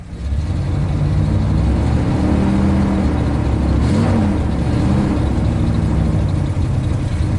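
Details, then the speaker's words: 1996 Ford F250 7.5 big-block V8 after rebuild (new pistons, rings, camshaft), warming up: uneven rolling lope idle, truck shaking badly, poor vacuum, running rich; ignition waveforms look good, weak cylinder suspected. "it's really not happy when it's warming up by the way all the ignition waveforms look pretty good truck is definitely shaking badly"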